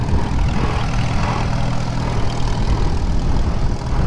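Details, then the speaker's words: 1939 Farmall H tractor, repowered, first test drive through the gears: steady low drone with a faint even gear hum while pulling in third; ordinary, healthy Farmall rear-end whine. "don't think that sounds too bad second gear fourth gear yeah that don't sound too bad"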